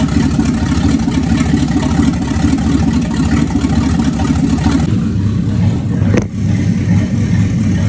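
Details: 1965 Ford Thunderbird FE 390 V8 running again after troubleshooting, cranked to check oil pressure: steady low rumble with a slight settle partway, then an even beat; normal healthy running.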